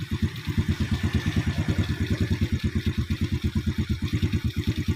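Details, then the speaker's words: Yamaha Vega R New motorbike after correcting too-tight valve clearance that caused compression leak and unstable idle: low, even thumping at a steady slow beat, no hunting or stalling; normal stable idle. "stable, it doesn't turn off , OK, I turn it off, so the problem with the gas is that it won't stabilize."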